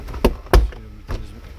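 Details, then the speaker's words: Mercedes SL600 after repair, power convertible roof starting to cycle: three solid, low clunks with no grinding or strain; roof warning light no longer blinks, roof working normally. "everything is working good and again no blink and light to indicate a problem with the roof anymore so this is great"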